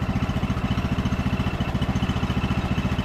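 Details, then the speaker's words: Abandoned MTD Bolens riding mower revived after sitting for years, just started and warming up after an initial backfire from excess fuel and a sticking carburetor needle and seat: even thumping at about 3.5 beats per second, no misses or surging. Smooth, healthy idle. "it is idling really smooth sounds good"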